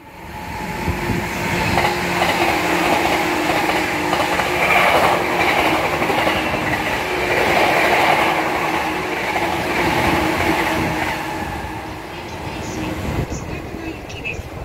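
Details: E235-1000 series train set F-23 passing Nishi-Funabashi station at high speed: rail clatter with a repeating thump about four per second from a wheel flat.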